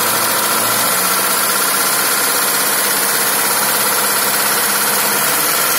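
Rough idle with an uneven knocking under a harsh, hissy running sound; a knock is present, but its cause is unclear.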